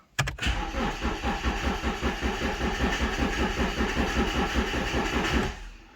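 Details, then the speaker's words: High-mileage BMW 1 Series four-door 1.8 diesel, just bought, first start attempt: starter churns slowly and steadily about five seconds without catching; cranks but no start, battery voltage suspected (around 11 V); cause not confirmed. "okay let's check the voltage once again because it's turning slow"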